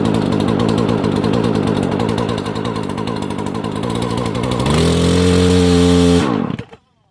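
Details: Poulan Pro chainsaw after new carburetor, fuel lines, fuel filter and air filter, first start attempt: two-stroke buzzes steadily at idle, revs cleanly to high even whine, then cuts off; healthy, normal running.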